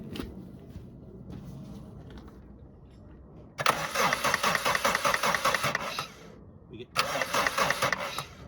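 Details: 1991 Suzuki Swift 1.6 AWD saloon: two bursts of steady cranking, about two and a half turns a second, never firing. Cranks but won't start; fuel delivery being checked at the return line, cause unconfirmed.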